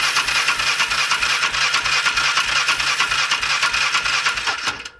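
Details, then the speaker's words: 2005 Polaris Ranger 500 UTV non-runner, cranked in neutral: the starter whirs with even compression pulses about three a second and never catches, with no spark. The choke may have been on; a mechanical or electrical fault is suspected. "Not getting spark. Alright, so that didn't work."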